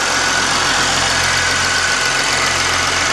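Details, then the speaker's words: 2008 Mercedes-Benz GL320 CDI diesel tow vehicle after muffler delete, radiator leak repair and coolant reservoir replacement, idling up to temperature to check for leaks. Steady, even diesel clatter with no misses or knocks; healthy, no leaks seen. "Alright, so as you can see, everything's still fine for right now. We're going to let it sit here and idle."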